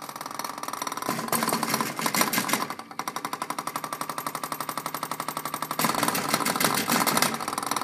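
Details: Haier 1.7 cu ft mini-fridge, under 3 months old: rapid uneven bursts of hard knocks, about three a second, loud annoying banging while running; cause unknown.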